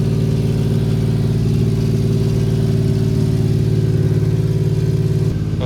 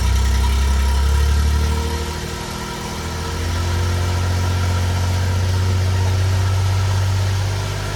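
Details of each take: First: 1993 Suzuki Carry mini truck idling after replacing the rotted, likely original exhaust; steady, deep, even burble with low throaty tone, no rattles or misfires, more enjoyable than the raspy old muffler. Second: 1993 Suzuki Carry mini truck at cold high idle before the exhaust replacement: a loud, raspy, booming drone with steady low pulsing through the straight muffler, which barely quiets it; the exhaust sounds terrible.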